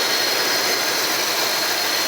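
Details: Jeep Cherokee XJ first startup after new cylinder head, plugs, wires, hoses, gaskets and cold air filter on a recent short block; even idle with steady hiss, no knocks, ticks or stumbles; runs normally.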